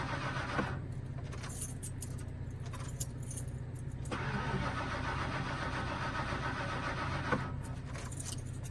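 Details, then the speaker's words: 1997 Fleetwood Storm RV that would not start after a storm: steady starter cranking at about four turns a second that never catches, and no fuel pump engagement heard; cranks but won't start. "So, like we said earlier, the RV wouldn't start. Just cranks over."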